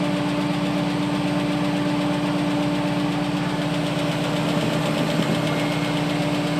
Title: AMC 401 lifter tick